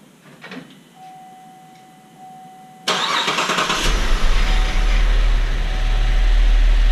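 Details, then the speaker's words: GM 3.6L V6 from a GMC Acadia after timing chain replacement cranks briefly, then starts cleanly into a steady, even idle with no ticking or knocking. "it's all done it runs I'll start it up for you here in a minute"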